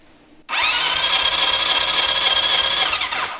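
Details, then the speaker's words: Honda CB750 cafe project, dry compression test while cranking the fourth cylinder: fast, even starter cranking with weak pulses, called a bad engine. Major compression issues; rings, valves and gaskets suspected; oil is then added to check the rings. "That one's fucking horrible. Oh, that's a bad engine. Oh man."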